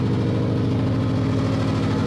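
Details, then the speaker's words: Subaru Legacy GT at idle after a coilover install: a fine buzzy metallic rattle over the steady idle from loose, vibrating exhaust heat shields that still need fixing. "it's just heat shields I should have done that actually I don't know why I didn't do that I should have just crawled under there and fixed the heat shields that are rattling because that shit's really annoying"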